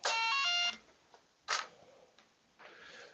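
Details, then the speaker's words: RC warbird/prop-plane setup: short, high electronic beep bursts repeating with quiet gaps as the ESC warns it has been disconnected from the radio signal. "so got some new stuff you're gonna hear beeping because my radio my uh esc has been disconnected"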